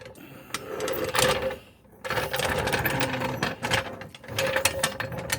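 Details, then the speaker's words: 2001 Dodge 1500: fast sewing-machine-like clatter with a faint steady tone in bursts. Owner first thought something was loose or the wheel, and now believes something in the front end is loose, likely the front wheel hub bearing. "it's something in uh the front end is loose the bearing in the hub or something so"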